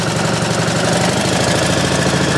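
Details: Pump engine on a 1989 Ford F-350 brush truck, throttle run up to bring pump pressure to about 100 PSI while charging the hose reel: steady, even note at raised speed with no knocks or misses. Normal running.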